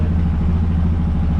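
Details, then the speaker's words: Freshly rebuilt Yamaha Rhino 700 single, first run-up with about 1/4 inch throttle pedal play: even, quick deep thumping idle, settled but a touch fast; idle needs adjusting down and cable readjusting. "We need to adjust our idle down and then readjust our cable. I think she's still just a touch high on the idle."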